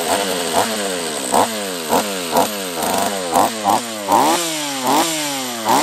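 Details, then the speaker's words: Husqvarna 44 chainsaw after a refurb, third heat cycle: two-stroke surges and sags unevenly, revs hunting about once a second, refusing any throttle. Poor throttle response; owner suspects a lower-end vacuum leak and shuts it down to strip it. "it's it's not running right uh if it's this to me is a lower end uh vacuum leak try one more time yeah it does not like any throttle"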